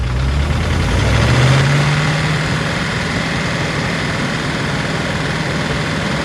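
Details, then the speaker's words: P38 Range Rover V8 warming up at idle after sitting all winter, fresh oil change with Liquid Moly and Rislone added: light quick ticking about four per second, louder once warm, mostly from right side; owner suspects sticking lifter or valve; tick fading after minutes. "Now that it's starting to warm up, you can hear the ticking from the lifters. So, didn't hear it as much when I first started her up, but hope the mic is picking this up."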